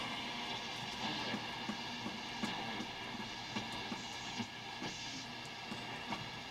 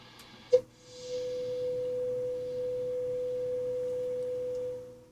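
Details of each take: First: Hammarlund HQ-140-X tube receiver during restoration and alignment, tuned near 1.3 MHz with no antenna connected: soft steady hiss with scattered crackles and pops, no station; normal receiver background noise. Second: Hammarlund HQ-140-X receiver during restoration, signal generator at 5.6 MHz on the 3.2–5.7 MHz band: clean steady test tone lands near 5.5 on the dial, well off calibration, possibly from age, before IF alignment.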